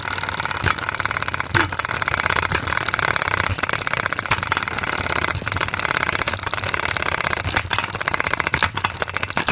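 Whirring spin broken by sharp irregular bangs every second or so as the off-balance container knocks about inside.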